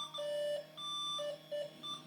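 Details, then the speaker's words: 20-plus-year-old Slot 1 Pentium 3 550 MHz PC booting into Windows XP: steady high beeps, about three a second in uneven bursts, continue through boot; unexplained POST error beeping. "So my original hard drive, and I'm sorry for the error beeping here, but my original install was Windows 98 and Windows 2000 dual boot,"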